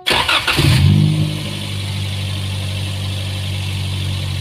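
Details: Daihatsu Luxio/Gran Max after tune-up with coils refitted: starter catches quickly, one brief rev blip, then a smooth, even idle with no misses or knocks; healthy.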